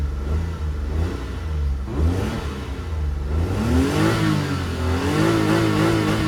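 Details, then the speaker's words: Newly delivered 4x4 unit, throttle check: engine rises cleanly in pitch and falls back evenly, no delay; healthy throttle response. "So, check natin ulit dito. Yes, hindi delay."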